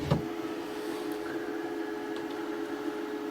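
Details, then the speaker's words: WFCO WF-5110 1000 W inverter newly DIY-installed in an Airstream RV, switched on: faint click then steady low hum with thin even electrical whine, no vibration; inverter running normally. "Sounds like it's not doing anything bad, like vibrating or anything."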